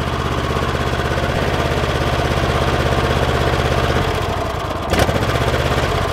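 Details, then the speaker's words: Kohler 7000 series 24 hp twin-cylinder mower engine running on one cylinder, bogging in tall grass: lumpy uneven idle with occasional popping and a missing beat; no spark on one side, ignition fault, suspected mouse-chewed wires or shorted ground wire. "I'll start it up I'll show you what it looks like you can hear an occasional popping noise"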